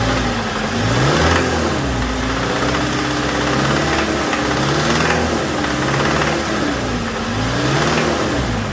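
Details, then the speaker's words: 2007 Toyota Tacoma 2.7 four-cylinder, cold, running about 2–3 minutes. Revs rise and fall with a hard lower-end knock that grows louder with rpm. Teardown revealed a spun connecting rod bearing, and the knock changed significantly when injector 1 was cut. "so at an idle it sounds fairly quiet but it's when you well there's a bit of a knock there and it's cold right now it's only been running for about two minutes three minutes"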